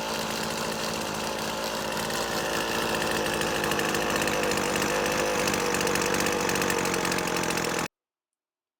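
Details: McCulloch T55 CLS line trimmer after tightening loose cylinder head bolts that had caused a no-start: small two-stroke buzzes at a steady high pitch, holding revs evenly without stumbling or cutting out; healthy and clean.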